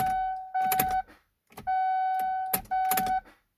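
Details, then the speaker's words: 2015 GMC Canyon All Terrain won't start: repeated warning chimes in short bursts with small clicks and warning lights, no starter cranking at all; cause unknown. "all the does is show us all these lights you won't even try to like crank or nothing"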